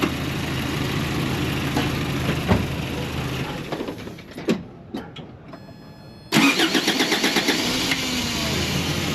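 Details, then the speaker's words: Toyota pickup after ignition switch replacement, which had been making the starter stick: engine shuts off, a few clicks, then a short crank catches cleanly into a steady idle, starter disengaging; starter itself still suspect. "But I mean, at least for we got one thing figured out, the uh ignition switch, cuz that was making the starter get stuck."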